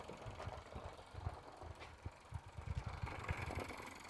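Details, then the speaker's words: Restored Mamod TE1 toy steam traction engine at full regulator with drive band fitted; soft, uneven chuffing and light rattle at a few beats a second, running freely, though the drive band slips slightly and needs a tighter one. "all righty she's going quite nicely now i think i just need to swap the drive band out for a slightly tighter one because it's slipping a little bit this is she's trembling around quite happily that's smooth regulator fully open"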